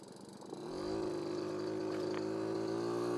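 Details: Barn-find 1981 Honda Express NC50 moped, fitted with a Dellorto SHA 1515 carburetor on an MLM intake adapter and a lever choke; after a brief rise it settles into a steady, even buzzing idle with no misses or hunting. Normal idle.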